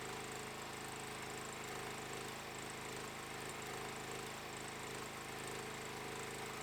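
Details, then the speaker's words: Stager FD10000 generator powering a ProWELD MMA 220Puls welder from its 16A socket with current reduced to 130A: steady engine drone holding even speed under continuous load, hiss on top, no hunting or surging; welds without interruption. "इस सेटिंग से हम बिना किसी रुकावट के वेल्ड करने में सक्षम थे।"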